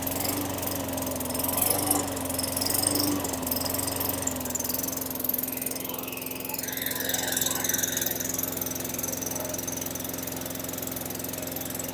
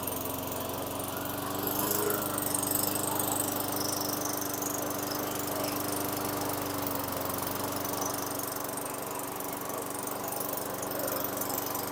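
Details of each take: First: 2003 Craftsman 917.387360 mower, Tecumseh 4.5 hp 148cc single-cylinder, after fitting the correct carburetor: it runs steady and even but with a low, lazy hum. Engine speed is set slightly low and needs adjusting. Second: 2003 Craftsman mower, Tecumseh 4.5 hp 148cc engine with new correct carburetor, after raising idle via governor tab and throttle set screw: steady, even single-cylinder putter at constant speed, no hunting or surging; idle properly set.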